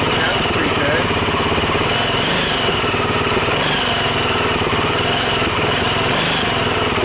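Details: Engine from a wrecked Massimo GKM200 ATV, run on a jumper with starting fluid: loud, even single-cylinder chatter holding steady with no misses, knocks or surging. Running healthy.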